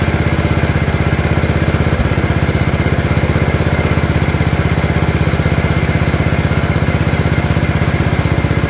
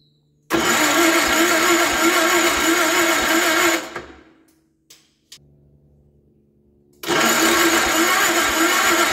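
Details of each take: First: Gravely 814 tractor that sat outside for years, just after an oil change. A steady, even single-cylinder thump at low idle with no misses or knocks. Smoke is thought to be spilled lubricant burning off the exhaust, and the battery reads 12.5 V, apparently not charging. Normal running. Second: Gravely 814 tractor that sat outside for years, with the battery charged, a new key switch fitted, the choke on, and the oil still low. Two long runs of steady cranking with no firing; there is power when cranking but no spark. Spark later proves intermittent.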